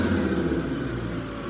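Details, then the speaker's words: Toyota Starlet EP70 after its turbo upgrade, not yet tuned: a short, clean free rev with the note dropping back smoothly and evenly from a super smooth idle, no misfire or rattle; the engine sounds healthy. "idle's super smooth but the coolest bit of the car is when you"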